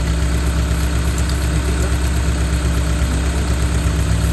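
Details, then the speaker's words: 2000 Honda City, manual, at idle: loud, shaky, strained uneven throb at normal idle speed without misfiring; ignition timing off, distributor being adjusted. "hindi siya palyado ano siya parang bigil na gigil na ano ayun oh gigil pero nasa menor naman"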